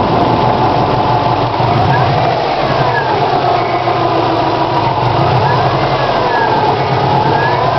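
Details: 2002 Subaru WRX turbo flat-four idling with a dull regular knock that started today; owner suspects a bent valve, unconfirmed.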